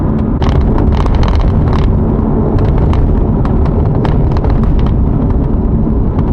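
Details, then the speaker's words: C7 Corvette driving on a bumpy road: light irregular clicks and rattles over road rumble from the removable targa top, a common issue on earlier cars. "so you can hear that rattle it's not really bad it's not nothing crazy but it is slightly annoying"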